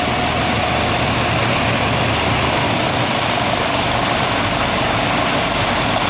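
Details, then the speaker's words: Carbureted engine converted to a PIII fuel injection system, bench-run over 45 minutes: loud steady roar at even pitch with no misses or stumbles; starts every time, good throttle response, normal running. "it is very uh reliable starts up every single time excellent throttle response so you can see here so we're going to start it up and show you how nice this runs a"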